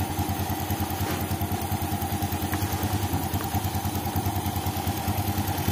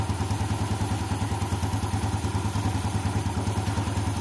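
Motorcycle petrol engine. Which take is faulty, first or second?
first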